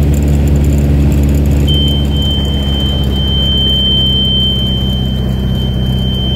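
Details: Mooney M20F in approach-to-landing stall with slow flight: over steady piston engine drone, a continuous high-pitched stall warning horn comes on and holds as the plane nears stall.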